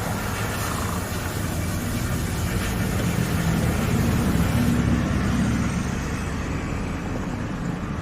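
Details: Nissan Almera petrol engine after replacing ignition coil and EGR motor (codes P0400, P0302 cleared; previously shaking): smooth steady idle, even low rumble, no shake or stumble; normal idle.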